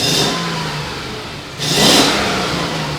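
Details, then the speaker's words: Old Mercedes V8 convertible with several warning lights on, revving: the engine hesitates and stumbles as each rev starts, nearly dying, then clears as revs climb. This indicates a misfire at tip-in. "well you can't hear it up top but it stumbles in the beginning so we'll address that it's trying to die ignore it"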